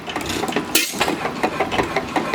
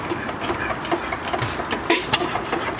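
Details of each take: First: Small single-cylinder engine at the slowest speed it has held: slow even put-put, no misses or knocks; normal slow idle. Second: Small antique engine, the owner's only running one, on a homemade buzz coil, run gently with spark set so it doesn't fire too hard: regular ticking with sharp knocks every few seconds; knock developed since purchase despite greasing, cause unknown.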